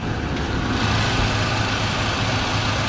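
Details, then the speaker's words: 1978 Ford F-100 warming up, coolant at 97 degrees and about 100 short of operating temperature, after exhaust manifold gaskets were replaced to fix an exhaust leak: steady, even low rumble with no ticking or puffing; normal idle. "in the last video we replaced the exhaust manifold gaskets fixing the exhaust leak that we had and it sounds much much better"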